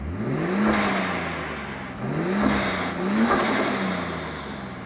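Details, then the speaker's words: XR6 Turbo Ford Falcon, manual, parked for 3 months, smoky with suspected worn piston rings: three quick free-revs climb cleanly and fall back smoothly with no rattle or stumble; sounds healthy. "who that doesn't sound too bad does it what do you reing mate what do you reing what are you thinking sound sounds pretty good not bad but 3 months parked up"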